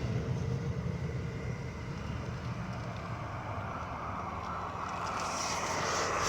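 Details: 2010 Dodge Grand Caravan, about 200,000 miles, driving above about 30 mph with a sensor on the driver's side wheel suspension: low throbbing helicopter-like drone swelling with speed, louder turning one way; cause not yet found.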